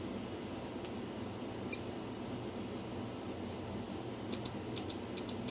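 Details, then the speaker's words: F-22 profile RC plane ESC, tested with a known-bad motor: faint repeating beeps after high/low throttle calibration. It would not arm until the throttle trim was lowered to about -67, below zero. "So this one just wanted to be down quite a bit below 0 before it would arm, which is weird. I went to minus 67 before the thing would arm."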